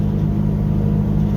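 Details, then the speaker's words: Pickup truck cold start about five hours later, after reconnecting the MAP sensor to the correct port: steady, even rumble sitting a bit fast, no stumbles; high cold idle but smooth, warning light not coming on. "idling kind of high light's not coming on"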